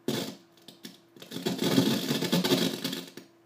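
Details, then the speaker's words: Symmetrex headphone amp output 1 volume knob turning, played through a mixer, power amp and speakers: irregular scratchy crackling bursts over a faint hum from a dirty potentiometer. It works fine once set. "you can hear that scratchiness it still works if you once you set it to whatever volume you want to set it at it works great it's just that when adjusting it you hear that scratchiness that feedback whatever it is"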